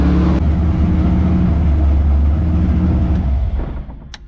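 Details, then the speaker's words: LS7 V8 in S14 competition car, first start after about 3 months sitting and an oil change with 10 litres, run to build oil pressure: deep, even idle with steady low burble for a few seconds before winding down; normal. "So always put in 10 litres, and now we just start it up and get oil pressure."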